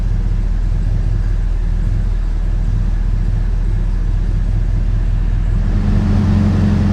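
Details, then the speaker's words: 1973 Mercury Cougar idling with AC set to max cold after leak dye check: steady low rumble, then a firm hum as the AC compressor engages and loads the engine evenly, normal. "So let's fire the car up, and I'm going to put the AC on max cold. I heard the compressor come on."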